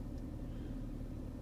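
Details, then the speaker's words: Mercedes M112 V6 after EGR valve replacement for P2001/P2024 and high fuel use, codes cleared: soft even idle, no stumble or ticking; earlier roughness and vibration now gone, runs smooth. "Была такая как бы грубость, а сейчас она вообще просто такая мягенькая. Ну, я чувствую вот пятой точкой реально нету вибрации той."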